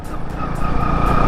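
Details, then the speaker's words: Bajaj Boxer 150 motorcycle engine, about 12 hp: thin, steady high whistle above the engine note at various revs, more pronounced than it should be; cause not yet known. "ну свистить интересно конечно А що ж свистить Ану послухайте чуєте такий трошечки є на обертах на різних причом"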